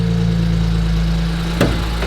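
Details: BMW 335i after an engine swap (same-mileage used motor); the suspected rod knock was really a broken AC compressor pulley. Smooth, even idle with a steady low hum and one brief bump, no knock or tapping: a normal, healthy idle.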